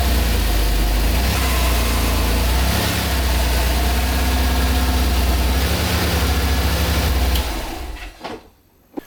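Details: Maserati 4.24V, 2.0 V6 Biturbo, under restoration, after cooling circuit closed and refilled: engine catches and settles into even, steady low idle with smooth firing rhythm, then shuts off; runs fine.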